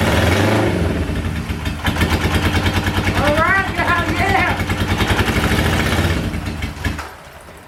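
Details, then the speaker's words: 1977 Honda Hondamatic barn find, not started in years, choke on, fuel flowing: uneven cranking chuffs about three a second catch into a rough brief run then die away; brief start then stall, carbs need adjusting. "She's trying. She really is trying. Oh, she's so close, so close."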